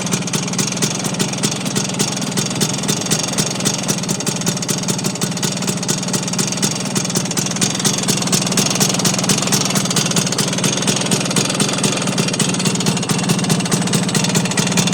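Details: Vespa engine at idle with a sharp, steady knock unchanged by pulling the clutch or changing gear; owner suspects engine bearings, not confirmed.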